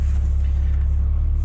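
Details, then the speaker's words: 1980s Volkswagen Cabriolet while driving: deep low rumble with a fast buzzy rattle underneath from the exhaust hitting the sway bar, cause unknown. "that's the exhaust hitting the sway bar which is pretty interesting i don't know why or how the heck that happened"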